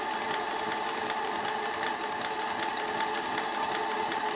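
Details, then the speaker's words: Articulated paddle-wheel model steam engine on its first steam test, minor leaks from untightened glands: steady, even whirr with no knocks, hiss bursts or stumbles, constant speed; running smoothly. "Bon bah écoutez, elle marche formidablement cette machine, elle est magnifique."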